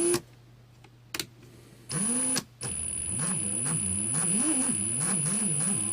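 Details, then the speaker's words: Ryobi R18PD7 brushless drill dated 2017, cordless, at light/low trigger; uneven, wavering whine rising and sagging with a noisy, straining gearbox. The drill cuts out as if overloading and needs the trigger released to reset. "but you can hear the strain at low trigger settings. It's like there's a lot of load on the gearbox or something."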